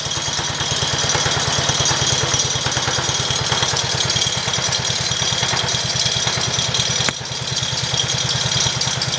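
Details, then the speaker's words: 1968 John Deere 110 lawn tractor, first start since engine installed after wiring: even, steady putter at idle with no knocks or misses; the small single runs smooth and healthy. "this sounds really good"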